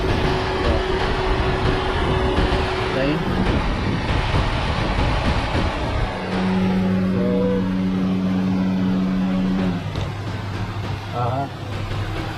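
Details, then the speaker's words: Radiator cooling fans running normally on high speed after the faulty fan relay was fixed: a loud, steady rush of air over a constant low motor drone. "okay guys after fixing this piping relay i i heard that the other one worked on [Applause] you can hear the the sound a loud sound from the j turban model that is now working on fan height"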